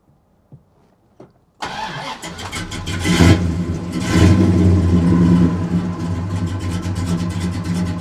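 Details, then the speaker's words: 1969 Dodge Super Bee V8, four-speed, idle set near 750 rpm with idle stop solenoid holding throttle; cranks, catches, brief rev, then steady even burble about 750 rpm, no miss or tick: healthy idle. "so there's my idle right there at about oh like 750 RPM or so and it's got a really nice idle"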